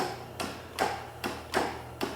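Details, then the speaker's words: 2001 Kawasaki VN1500 motorcycle, fresh battery plus charger on 100 A start, in cold weather: single sharp starter clicks about every 0.4 s, engine won't crank or turn at all; cause unconfirmed, spark plugs pulled next. "And she's not moving an inch. She's not moving at all, not when it turn over one bit."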